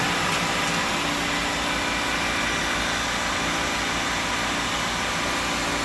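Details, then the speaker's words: 2004 Pontiac Vibe (Toyota Matrix) with 200,000 miles, idling after a tune-up, new plugs, coils, MAF, PCV valve, throttle position sensor, fresh fluids, new motor and transmission mounts, and a computer reset: smooth, even hum with hiss on top, no knocks, ticks or stumbles; normal idle. "Sounds good, huh? Yeah. It sounds real good. Very good, man."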